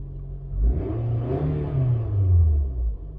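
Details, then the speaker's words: Carbureted Toyota towed in as a no-start that another shop misdiagnosed as a fuel pump fault, just started and partially flooded: a deep, uneven low rumble swelling and dipping as it clears fuel and settles. "What we're going to do is we're going to start it up first, and like I said, this thing will be partially flooded. That's normal. So now it should calm down."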